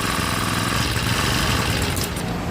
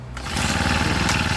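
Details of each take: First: Honda GX35 brush cutter after carburetor cleaning: starts and idles only with choke on; engine runs rough and lean, faltering and stalling when choke is opened or throttle applied, even together. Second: Honda GX35 brush cutter after repair: starts immediately and idles steadily without the choke. It previously died on acceleration unless the choke was on, and was fixed by adjusting the carburetor to draw more fuel; normal start and idle.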